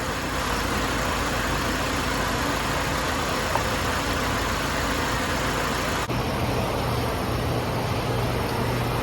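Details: 1998 Toyota Corolla 1.8: even, steady idle with no stumble or missing beats; misfire gone.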